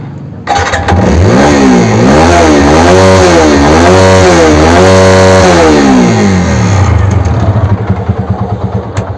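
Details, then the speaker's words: TVS Apache RTR 200 4V before repair, with a bad engine note, revved repeatedly; rough clattery noise over the exhaust; mechanic suspects a piston seizure. "तो दोस्तों इस गाड़ी के अंदर इसका पिस्टंस हुआ है ऐसा मुझे लग रहा है"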